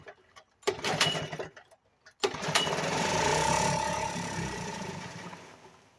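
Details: 1975 Sears Gamefisher outboard after carburetor repair, in a water test barrel with choke pulled and only a couple cups of gas: a few failed pulls, then catches and runs unevenly, surging and fading; needs carb adjustment.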